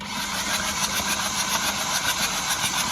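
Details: Flood-hydrolocked Hyundai i20 engine, 2024 flood: fast even starter cranking about three to four turns a second with spark plugs removed, no firing, pushing water out of the cylinders.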